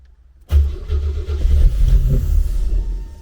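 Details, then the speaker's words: 1988 Opala Diplomata on FuelTech FT450 injection, converted from carburetor: engine catches, runs rough and low a few seconds, then sags and dies; RPM signal is very weak and drops above about 1000 rpm, crank trigger setting too low. "Nein, das Drehzahlsignal geht verloren Lass mich hier etwas sehen Lass uns gehen Ja, das Drehzahlsignal ist sehr schwach Wenn es etwa 1000 überschreitet, verliert es Die Einstellung des Kurbelauslösers ist sehr niedrig"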